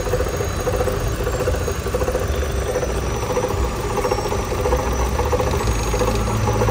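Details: Chevrolet Cruze 1.8 engine at idle: steady idle with an uneven, rough rattle and a faint high squeal on top; abnormal engine noise, cause not confirmed.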